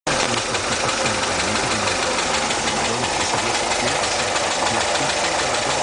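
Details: Steady airy sucking hiss over an even idle with no change in pitch, found while changing the fuel lines; it is a vacuum leak.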